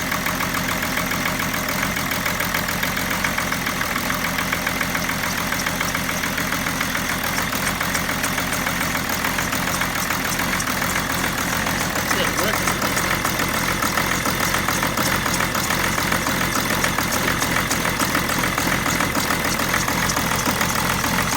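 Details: 2008 BMW 730d E65 diesel after turbo rebuild for failed oil seals, new oil and air filter, intercooler cleaned: rough, loose uneven idle; starts but runs like this about sixty seconds then dies.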